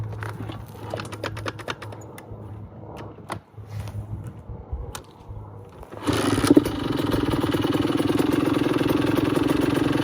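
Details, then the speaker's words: 2002 Honda CR80RB two-stroke after rebuild and carb rejetting to fix heavy oil blow-by and smoke: starts on one kick and settles into a steady, low, even two-stroke idle with almost no smoke; it sounds healthy. "At start, one kick, very low, two-stroke idle. It's perfect."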